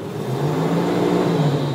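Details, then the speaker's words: 2006 Jeep Wrangler Sport, right-hand-drive ex-mail vehicle, automatic, held at high revs in park: steady droning whir over the roar; owner suspects detailing spray wet the belt, or possibly clutch fan, unconfirmed. "it might have just been because the detail guys you know were screwing around and put too much of their stupid Dippity doodah juice on the motor whatever they did and got the belt real wet"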